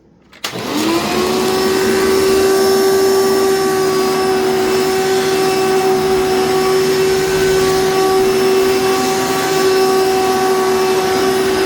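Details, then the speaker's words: Old rescued vacuum cleaner, run with attachments and a dirty filter: loud steady motor whine with rough buzzy rattle; owner suspects the fan is off balance, otherwise runs smooth. "yeah so this thing has a has a lot lot of rattle to it and as you could probably hear it has a lot of uh it's it sounds off balance the fan sounds like it's off balance or like there's something wrong with the fan"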